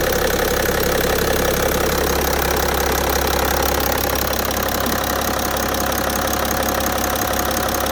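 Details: BMW E60 530d, M57D3 diesel, at idle: a fairly regular knock about three times per second over the diesel clatter. Cause unknown. Engine knock.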